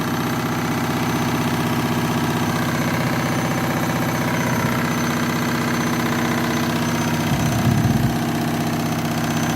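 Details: Washing machine spin cycle: loud, steady rumble with a rough, uneven beat throughout, heavier for a moment near the end; cause unclear. Noisy spin cycle.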